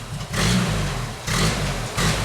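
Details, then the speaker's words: 1995 Genie Z-45 boom lift engine given throttle after a hard restart: three short revving surges about a second apart that die back each time, then it stalls out; suspected carburetor fuel supply trouble. "Not happy, not happy. Okay, stalls out."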